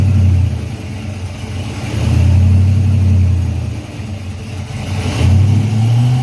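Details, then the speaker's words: Freshly built Chevy 350 V8 on its first break-in run, idle raised, oil pressure around 46 psi: deep rumble swells and eases with slow throttle changes, no ticking or knocking; normal raised idle. "So I'm going to let it run, turn the idle up, monitor the temperature, and try and stay outside as much as I can."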